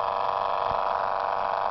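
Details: Homebuilt permanent-magnet pulse motor with collapsing-coil recovery, solar-charged battery, pulling load at about 30 mA draw: light steady buzzing pulse, even rhythm, no scraping; normal running.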